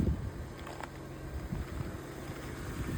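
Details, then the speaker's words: 2006 Mercedes SLK280 crank-no-start, fixed by opening and cleaning the ECU: low, even idle hum, no misses or knocks, some wind on mic; engine now runs buttery smooth. "And after chasing my tail, car is running. And it sounds buttery smooth like I thought it should."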